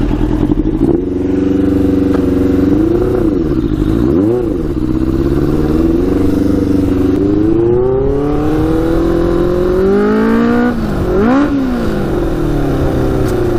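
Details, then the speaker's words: Custom Yamaha Banshee with Suzuki Katana 600cc engine, Stage 4 jets, riding with pod filters removed: note climbs steadily through gears, pulling cleanly under load without bogging; runs much better without pod filters. "it's definitely better without the pod filters um so oh so oh yeah yeah she's running pretty good now"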